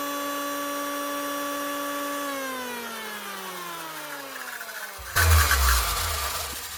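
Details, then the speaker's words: 2013 Hitachi P20SF electric planer whose depth knob turns on its own: motor whine winding down with a rough, uneven note underneath; worn bearings causing vibration that turns the knob. "problem it's actually bearings she making a lot of vibrations as well the vibrations are actually causing this here to turn now"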